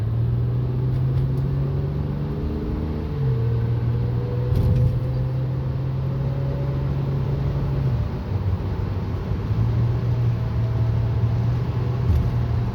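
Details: 2006 Honda Accord V6 while driving: steady low hum and thin whine rising in pitch with speed over road rumble, fading above about 50, still faintly heard coasting off throttle; cause unknown.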